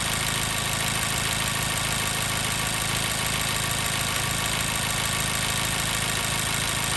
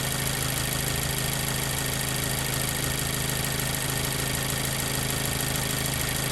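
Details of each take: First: 2014 Mazda 3 2.0L petrol, code P0302, warmed up about 8–9 minutes: uneven lumpy idle with a steady miss from cylinder 2. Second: 2014 Mazda 3 2.0L idling after all spark plugs were replaced to fix a cylinder 2 misfire (P0302) caused by a plug with double resistance: a smooth, even idle pulse with no stumble.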